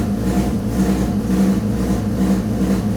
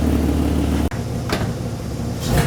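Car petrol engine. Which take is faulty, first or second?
second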